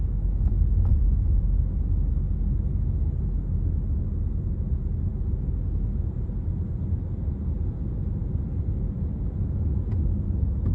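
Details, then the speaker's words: Honda EarthDreams turbo GDI engine while cruising, after adding MotorKote and Marvel Mystery Oil for a ticking noise: steady low rumble with slight coarseness but no ticking audible; tick temporarily gone, though it later returned. "I hear a little bit of the like a engine coarseness but I don't hear the ticking what the [Music] heck"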